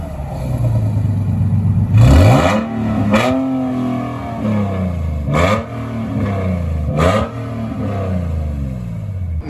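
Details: Nissan 370Z drift car, after fitting a custom tucked exhaust with custom Y-pipe and QTP electronic cutouts opened: several sharp rev blips rise cleanly and fall back to steady idle, loud crisp exhaust note; healthy engine.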